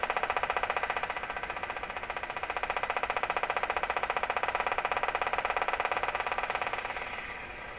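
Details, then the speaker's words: Deforest Crosley shortwave radio after IF alignment to 456 kHz: steady sharp ticking about two per second over hiss, its rate shifting with tuning; the noise comes from inside the radio, suspected bad preamp tube connection. "That's strange, because it's the rate of that ticking noise seems to vary with where I have the radio tuned, as if that noise is coming out of the radio itself."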